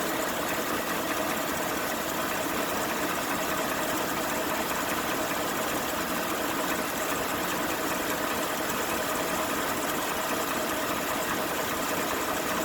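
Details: 2018 Ford F-150 5.0 aluminum V8 at idle, stationary, fast steady metallic hammer-like ticking over hissy engine note, louder on passenger side and felt in cabin; dealer and second opinion attribute it to the engine-top high-pressure fuel pump, owner doubts.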